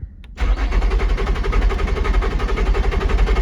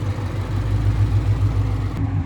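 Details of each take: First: Salvage-auction car, supposedly supercharged, push-button start: starter spins the engine briskly and evenly for about five seconds but it never catches. Crank-no-start, cause unconfirmed (suspected crash fuel shut-off or something else); sounds healthy. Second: V8 with 84,000 miles at a Copart salvage auction in South Carolina: steady, even burble at idle with AC running, no knocks or misses; airbag light on; sounds healthy, though check engine light may return later.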